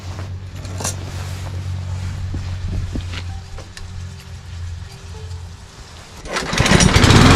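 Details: Cub Cadet self-propelled walk-behind mower that started on prime then died from fuel starvation, after an ultrasonic carburetor cleaning: the single-cylinder engine catches and holds a steady, even low chug without dying; runs normally now.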